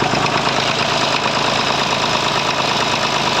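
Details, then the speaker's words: 1950s Massey Ferguson 35 three-cylinder diesel warming up at cold idle: uneven stumble, one cylinder intermittently missing with a different crackle, gone when warm; owner suspects a small blockage in the injection pump. "And there she is running clean now, and then she starts back at it for a second. When it warms up, that's gone. It's strange. There's a different crackle off the engine when it's running like that as well."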